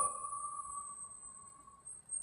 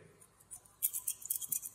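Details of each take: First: JBL speaker driver after repairing a cracking noise caused by debris in the gap, cone reglued with epoxy: clean, steady tone with no buzz, scratch or crackle, and the cone now moves up and down freely. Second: JBL speaker driver, cracking noise during music playback; thin harsh crackling bursts over faint playback as debris in the magnet gap catches the cone so it can't move fully; the speaker frame is also bent.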